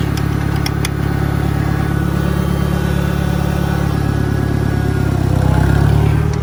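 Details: 1963 John Deere 1010 tractor, original and properly maintained, in reverse after third gear on a backyard lap; even low drone with a smooth gear whir that swells briefly near the end, no clunks; normal gear transmission noise.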